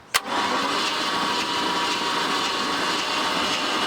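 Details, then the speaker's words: 23' Chaparral 2330 sport boat salvaged after engine fire, cranking with spark plugs out: sharp click then fast, even starter whir with no binding; engine spins over freely, not locked up. "all right so good news we got the engine to spin over which is really good"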